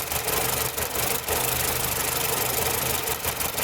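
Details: Nissan Platina with power loss, rough shaking at idle and backfiring through the exhaust, idling with a hissing crackle and uneven stumbles every half second. The suspected cause is spark leaking from the ignition coil to the engine metal.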